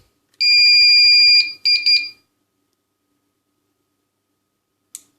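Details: Powercom PCM RPT-600AP UPS (2019) after replacing two failed capacitors (10 µF 100 V, 100 µF 35 V): one long steady high beep, two short chirps, then silence, no relay buzz; now starts normally and charges.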